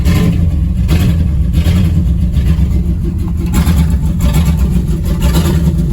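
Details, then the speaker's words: V8-swapped Chevy S10 stored for years, after fitting a rebuilt used fuel pump (fuel pressure about 20 psi), running on old gas: deep steady V8 rumble, no knocking or stumbling; normal running. "got some old gas but it's running"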